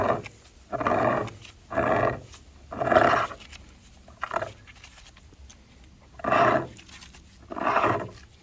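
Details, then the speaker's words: 2000 Toyota Camry A140E transaxle torque converter turned by hand, heard next to a quiet one that only sloshes oil. It makes a deep, rough grinding in bursts and sounds broken inside. The owner hopes it's only the torque converter; others warn metal shards may have got into the transaxle. "the thing is is bad that thing is bad I'm hoping it's just the torque better"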